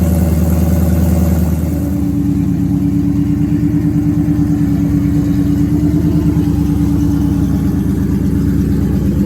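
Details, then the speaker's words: First start of Ford Coyote V8 swap with 10R80 and FRPP control pack: engine idles evenly without surging, but a sharp rapid puffing tick in step with firing reveals an exhaust leak at the header collector. "So the first start went pretty well. The engine idled perfectly fine. Wasn't like surging or anything like that. And the only thing that I noticed was a pretty good exhaust leak."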